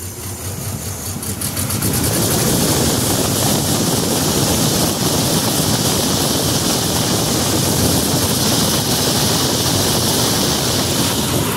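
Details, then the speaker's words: Nissan Z31 after swapping three spark plugs and reconnecting an unplugged injector: uneven, lumpy idle of about four pulses a second under a loud hiss. Still rough; cylinders 1 and 6 suspected (injector or connection), not confirmed. "well still a little rough i guess i will go back through and at least check those same cylinders again make sure that they're not causing a problem"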